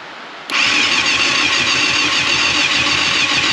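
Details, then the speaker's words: 1989 Yamaha FZR600 Genesis, not started in over 4 years, on about four-year-old fuel with a new battery: starter whirs with uneven chugging three to four times a second but never catches; owners suspect old fuel gumming the carbs, not confirmed. "oh so close all right well i think at this point we're just gonna stop trying and probably drain the fuel put some new fuel in it"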